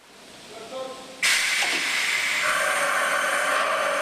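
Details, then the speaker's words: MBTA Orange Line heavy-rail car static run-up at end of mileage inspection, February 2011 winter: quiet start, then sharp air hiss settling into steady blowing release as the air system cycles tread brake units; normal braking operation. "At the end of the mileage inspection, we run up the vehicle. In other words, we put it through its paces statically. We're going to hear the controls run up. We're going to hear the air system run through its braking paces."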